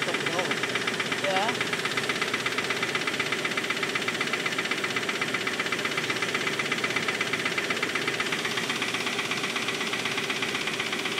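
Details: Mitsubishi Pajero at idle: steady, sharp tapping about four beats a second over a busy, rough hum; engine knock/tap, seemingly running on five cylinders; cause unconfirmed.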